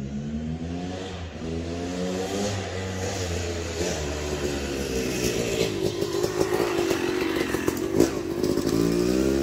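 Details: Yamaha YZ250 two-stroke (270cc/250cc) motocross bike after a full engine rebuild (bottom end, transmission, bearings, clutch, power valve), street break-in ride: crisp buzz climbing through each gear, dropping cleanly at shifts, no clunks; shifts silky smooth, running normally.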